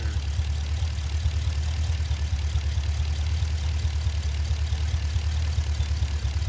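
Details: Pontiac G8 6.0 L76 V8 at idle: steady idle with faint loosely regular light tapping on top, owner unsure if excessive lifter or rocker noise, also hears a hiss; suspected valvetrain tick at idle.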